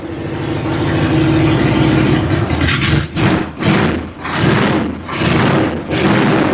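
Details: 2000 Harley-Davidson Sportster 1200 Evo, carbureted, revived after sitting 10 years with cleaned tank and reinstalled carb, before its first ride: lumpy loping V-twin idle with clean, even throttle blips, no misses or knocks; normal running.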